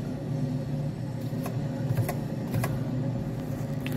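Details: 2011 Nissan Sentra, customer reports odd rear wheel noise; car raised and rear wheel spun: steady low droning hum, confirmed after disassembly as a bad rear wheel bearing.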